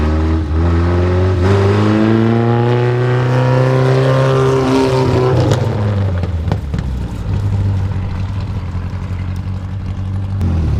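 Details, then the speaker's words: 1973 Volvo 142 SCCA race car, warmed up. Engine blips up, rises and falls smoothly, then drops back to a steady, even idle. Normal idle, strong and healthy. "so now this sounds really good yeah looks good"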